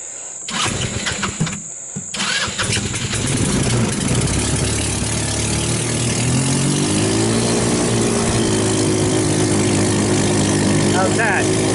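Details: Hammerhead off-road go-kart, 150cc GY6 engine, after carburetor cleaned of contaminated jelly-like fuel and water and rebuilt: a few cranks, then catches and settles into a steady, even idle without stumbling; normal start and idle.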